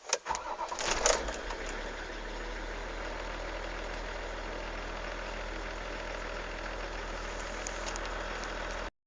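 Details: Engine cranks with a brief stutter but never fires, then only a steady low hum remains; crank, no start.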